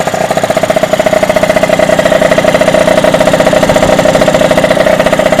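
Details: Derbi DRD 03 two-stroke, bought in a lamentable state, first start after complete engine restoration: crisp, even popping at a steady fast idle with a buzzy tone and no misses; normal idle.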